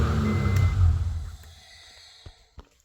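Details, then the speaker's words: 1995 GSR project: the starter cranks strong, quick and even at about four turns a second and winds down cleanly. This is after new wires and a washer were added at the starter; before, the wire overheated and it dragged as if the battery were low. Normal cranking. "We added that washer to that starter, and then finally it cranks. It cranks over good too."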